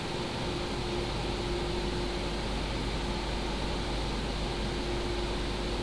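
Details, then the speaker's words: PCcooler DT360 ARGB Display liquid AIO at idle, pump at 100% with radiator fans on high profile, heard together: steady airy rush over a soft constant hum, no rattle or pitch change; normal fan operation. "The fans right now is at high profile and this is at idle, the pump together with the radiator fans."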